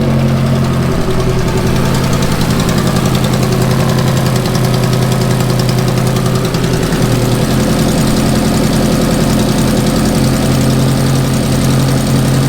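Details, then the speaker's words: Ferrari F430 V8 at idle: loud, busy, rapid uneven ticking puffs, about three or four a second, from blown gaskets on the aftermarket headers. Headers then reinstalled with new hardware and factory gaskets. Exhaust leak. "Blown headers. Listen to that. It sounds terrible."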